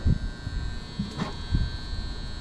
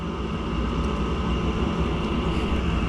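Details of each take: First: Gas furnace that works only intermittently, running: constant loud electrical buzz inside cabinet with dull thumps; tech first suspects transformer, then a 240 V relay that sends 24 V to the ECM blower motor; unconfirmed. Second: Gas furnace with ECM blower switched by a 240 V coil relay sending 24 V: flame crosses quickly, steady roar of air and burners, no rattles or squeals; blower motor sounds good, normal operation.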